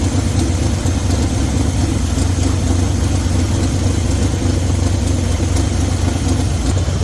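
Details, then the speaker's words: 1972 Chevy C20 with HEI ignition at idle after cleaning a spark plug and regapping from .035 to .045: steady even rumble, no stumble; running much smoother, though compression seems a bit low. "She does sound a little smoother, but let's see uh anything changed. Wow. That's a good sign. That is surprisingly good."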